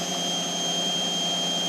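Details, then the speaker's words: Indesit XWD71252WUK washing machine in test mode after an F02 motor fault traced to worn carbon brushes; empty drum spinning up toward its 1,200 RPM maximum at about 170–180 W. Smooth, steady high whir with no knocking, motor functioning correctly. Normal high-speed spin. "We're at 169 uh 170 watts of power. 178 180 and you can hear the actual RPM going up. This means the motor now is functioning correctly."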